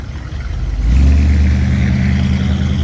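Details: 1957 Chevrolet 210 sedan with a 350 V8 and Turbo 400, recent mechanical upgrades: short crank, then it catches within a second and settles into a strong, even low rumble; a normal clean start.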